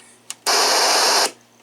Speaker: you can hear just see that startup noise that's how it's supposed to sound uh uh when you're on booting it up and you can hear it